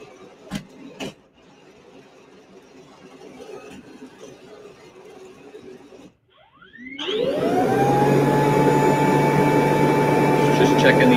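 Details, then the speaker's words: Tailos Rosie robot vacuum running "run all tests" from the Diagnostics menu, including an impeller check: quiet shuffling, then the impeller spins up with a rising whine to a steady, even whir. Results came back all green, a healthy self-test. "the only thing you're going to look push is run all tests at the bottom left run that the robot will do a little dance"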